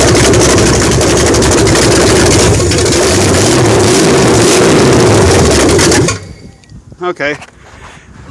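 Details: 1968 Dodge Charger R/T 440 V8 first start after rebuild, idle raised, timing lowered, cam not yet broken in, open exhaust pipes: loud, deep, even rumble for about six seconds before shutoff; healthy fresh engine.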